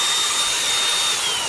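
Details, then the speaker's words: Makita DGA404 18V 4-inch brushless cordless grinder, returned from rental, test-run after partial reassembly during maintenance. A high, steady motor whine with an even pitch and no rattles or grinding. It runs smoothly and healthily. "那目前声音听起来是很顺的。"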